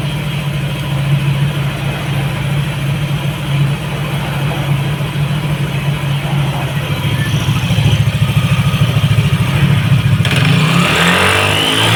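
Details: Yamaha NMAX all-new v.2 scooter after electrical system repair, parts replaced and sticky throttle cable fixed: steady, even idle with smooth throttle blip at the end, no stumble or cut-out.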